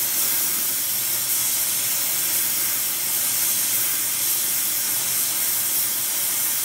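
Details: Airproducts Integra oxy-acetylene cylinders with built-in regulators and small mixer torch, welding with pressures set by ear, aiming for 4 psi: steady even hiss throughout, no popping or sputtering; normal torch flame.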